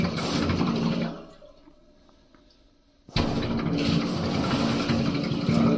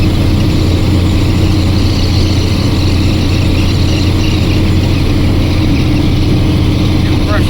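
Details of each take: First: 2002 International 8100 with ISM Cummins: 125 psi air blown through the fuel passage, strong rush then full hissing flow both ways with no gurgle or sputter; unrestricted path to the return, so no restriction. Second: 2002 International 8100 with ISM Cummins diesel climbing a hill, pedal to the floor: heavy drone stays deep and flat, never building, lacking power under load; cause not confirmed.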